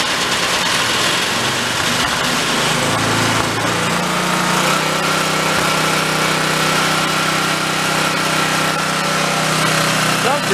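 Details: Old Homelite pressure washer, unused about 20 years and stored with Marvel Mystery Oil in the fuel system, running on choke with no fuel filter: small engine buzzes steadily after its speed settles, even pitch, no surging or misses; healthy idle.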